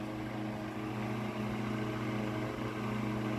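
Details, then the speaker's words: Mid-late 1950s GE Standard strap fan, 12-inch oscillating desk fan F14S125, blade on a rubber grommet, on high with no oscillation: smooth even motor hum and soft air rush, no rattles; normal running. "I guess we'll start it up on high first with no oscillation. it's not as much air as like a Vortalex would be blowing."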